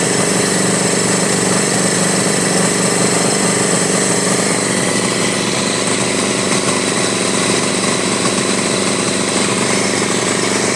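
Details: 1983 Honda Goldwing Aspencade project engine running for the first time, started on full choke with throttle held: loud, uneven idle with a lumpy, irregular pulse and no settled rhythm; rough running, needs tuning, fuelling possibly off.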